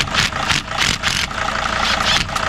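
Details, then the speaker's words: 2006 Mercedes Sprinter T1N diesel running hot at idle, injector line cracked open during injector replacement: rhythmic hissing spurts about three a second as fuel leaks with each pulse, a test to blow out the injectors before removal. "And what you do is while it's running hot, you crack this open, you should hear it start leaking."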